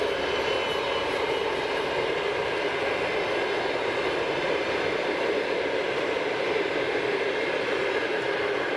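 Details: TEP70-0356 diesel passenger locomotive after a medium overhaul at the Voronezh works in November 2022, running under way with a train: a steady high turbocharger whistle over an even roar, the normal sound of a healthy turbo.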